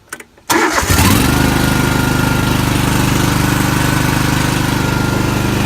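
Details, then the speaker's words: Mower with a newer Kohler Confident 21 hp twin, no choke fitted, started at half throttle: catches after a short crank and settles into an even, steady twin-cylinder beat; starts and runs properly. "But it's got a newer Kohler Confident or Confident 21 horse. I'm not a huge fan, but it starts and runs like it should."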